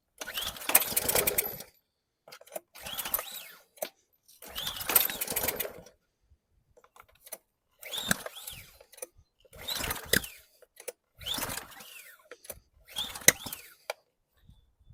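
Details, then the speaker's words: 2020 Ryobi RY802900 pressure washer with Ducar engine, on carb cleaner: repeated pull-cord tugs each give a brief sputtering catch that dies within a second or two and never keeps running; the owner suspects the air mixture; cause unconfirmed. "Uh-oh. It kicked off. Need a little bit of back pressure, maybe."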